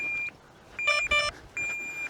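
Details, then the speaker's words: DJI Neo flown in manual FPV mode after a crash on a windy day: high, steady electronic beeps in half-second bursts with short gaps, hard to hear as wind carries the sound; crash locator beep. "The sound was just getting carried away by the wind."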